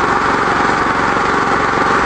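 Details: 13HP small engine running on Victory wood gasifier gas after restart with mixture set correctly; hasn't run on gasoline in a long time; some tar reached engine. Fast, even buzzing run at steady speed, no surging or sputtering: normal running.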